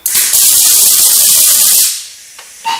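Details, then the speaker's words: RILAND 200A multi-process MIG welder on sheet metal after wire speed was raised: steady high, harsh spray-like arc hiss, melting through the sheet; voltage too high, turned down to 12. "and okay so it's melting the sheet metal so what that's telling me is now we would have to go in and uh adjust our Arc"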